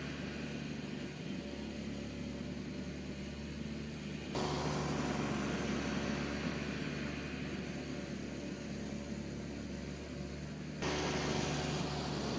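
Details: Old Toro CCR Powerlite snowthrower small single-cylinder engine, after fixing carburetor needle installed upside down on float and refueling, started on choke; steady even buzz, no misses or surging, running healthy on fuel without starting fluid.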